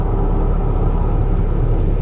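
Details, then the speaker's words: 2012 Ford F-150 EcoBoost 3.5 L twin-turbo FX4 with about 160,000 miles, recovered after theft, driving at speed in four-high. Deep droning rumble and vibration pulsing with wheel speed; owner hoped it was the tires, cause not confirmed. "but man I hope to God that's the tires I do that's a that's a pretty nasty Rumble"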